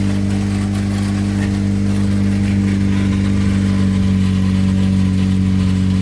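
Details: Saturn exhaust after fixing warped flanges with two homemade gaskets and RTV: steady, solid exhaust drone with smooth hum and no puffing or ticking from joints; exhaust sealed and healthy.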